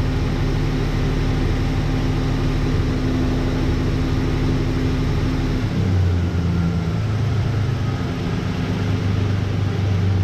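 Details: 1988 Dodge Ram V6, first startup after engine re-install following about 8 months of work: deep, steady rumble with a smooth shift in speed partway through and no knocks or rattles; engine sounds healthy.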